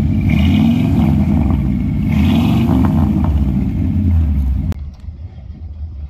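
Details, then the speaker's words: 1972 Ford F100 after 12+ years idle, now running after the junk carburetor was replaced and fuel lines cleaned: deep, steady V8 rumble with throttle swells, even firing, no knocks; normal running. "We got this thing finally running. Took a new carburetor, cleaning out the fuel lines and stuff."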